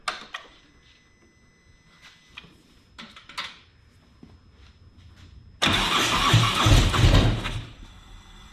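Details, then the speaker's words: 2017 Harley-Davidson Tri Glide with failing fuel pump, pump line unplugged to run fuel out before removal: a few quiet knocks and clicks, then loud rough V-twin run about two seconds before dying from fuel starvation. "Unplug that, and we need to start it up and see it, let all the fuel run out of the pump. Otherwise we'll be pulling the pump out with a lot of fuel in it."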